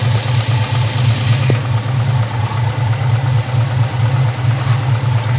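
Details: Chevrolet LT1 V8 at idle: steady idle with a light, somewhat uneven lifter tick, occurring on 5W-30 oil; tick went away after changing to 10W-30 with Lucas additive.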